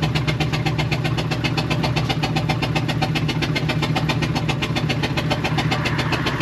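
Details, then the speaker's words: 1999 Ford E350 Utilimaster step van, 5.4 V8, engine sounds like a tractor: loud uneven idle pulsing with a hiss over it; suspected loose belt, plug or exhaust hose leaking, not confirmed. Rough running. "that sounds like raw exhaust hose kind of noise sounds like it sounds like something's escaping from somewhere"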